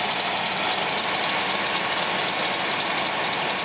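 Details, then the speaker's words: 1997 GMC Safari 4.3 liter, left front of engine, belt tension low: constant loud clattering racket over the running engine; loud front-of-engine racket, owner believes alternator failing, replaced. "folks as you can hear I got something making a God awful racket coming from the front of my motor here and it sounds like it's the alternator"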